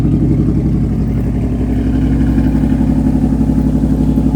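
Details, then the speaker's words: Restored 1980 Pontiac Trans Am Turbo Special Edition, turbocharged, rebuilt power enrichment valve, custom distributor curve, engine still cold on high idle: steady, even fast idle with smooth low rumble, no knocks or misses; healthy. "It's still cold over here, so it's in high idle at the moment."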